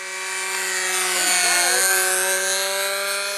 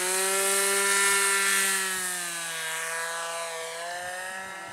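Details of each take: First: Glow-fuel RC model plane engine screaming steadily at high rpm with a hollow, echoing edge to the note after a glow plug change; the muffler had worked loose. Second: RC plane glow engine in flight: steady, high-pitched buzz holding its pitch with only a gentle dip and no sputter or misses; runs cleanly, though the mixture is later judged a little off.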